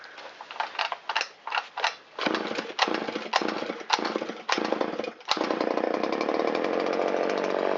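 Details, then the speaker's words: Shindaiwa 360 chainsaw with Walbro WT-89 carburetor, after richening the low-speed screw half a turn and lowering idle, choke in: choppy revving bursts, idle dips slightly then holds burbly steady; a little too rich at idle. "That little dip down indicates it's a little too rich at idle. So we'll turn it in a quarter turn, so that's a little bit less fuel at a low RPM, and see how it likes that."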